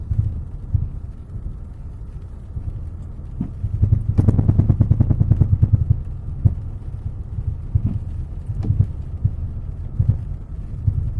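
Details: Citroën C5 X7: dull, irregular clunks from the right side when driving over small bumps, heard above low road rumble; suspension knock of unknown cause.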